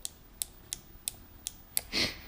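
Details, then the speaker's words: Apollo 250 RX motorcycle, engine off: six sharp light clicks with each front brake lever pull come from the brake light switch wired into the lever. "that click is uh actually there's a brake light switch wired in here"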